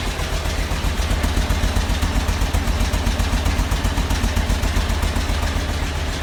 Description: An odd ticking noise cause by my push rods not properly adjusted led to the discovery of bad head gasket.